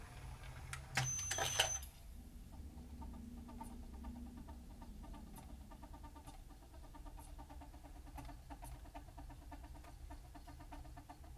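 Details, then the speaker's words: Denon DCD-1800R CD player with an erratic tray and poor disc reading: after handling clatter, a faint, quick, irregular ticking whirr from the spindle flywheel; the disc is suspected of not spinning at a consistent speed. "That sound you can hear is coming from that flywheel. But I'm now wondering whether that's the issue, whether it's not spinning the disc at a consistent speed and therefore it's struggling to read the data."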